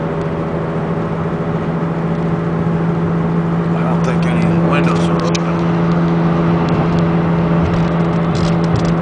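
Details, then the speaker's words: 2002 VW Beetle TDI on a test drive. A steady low droning hum under road noise starts at about 30 mph and grows louder with speed in third, fourth and fifth gear. At a stop there is only a low ticking. The cause was a bad passenger-side front wheel bearing, since replaced. "It seems once it gets up to about 30 miles an hour, it starts a louder noise."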